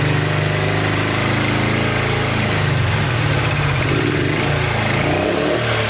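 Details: 1986 Honda VT500 Shadow V-twin, long-stored, after the coils were regrounded: lumpy, loping idle with stumbles and one cylinder missing; water is still coming out of the airbox, owner believes it was run hot, and the radiator is somewhat low.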